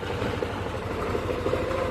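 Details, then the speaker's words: Yamaha NMAX scooter, about 85–90% like-new condition, at idle: steady idle with a light quick tek-tek ticking, also trek-trek on initial throttle from a stop. Idle knocking rattle. "Ini saya dekatkan itu pokoknya intinya ini langsam ya bunyinya tek tek ini saya apa ya?"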